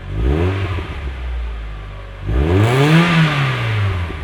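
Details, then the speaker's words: Mazda Miata with a new Flyin' Miata exhaust, after fixing a rattle caused by the install, recorded with a microphone on the exhaust while pulling onto a highway: deep, smooth note rising and falling with revs, no rattle or buzz; healthy exhaust. "and finally here's how it sounds with a pull onto a highway with the exhaust miked up this was easily some of the most rewarding work I've done this car yet"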